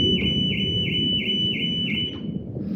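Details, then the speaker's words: Audi that wouldn't start, trunk-mounted battery terminal being reconnected outdoors in wind: high alarm tone pulsing about three times a second, then cutting off; car alarm triggered on battery reconnect, later traced to the dead battery. "No, it alarmed the last time, so it's probably still gonna do the same thing."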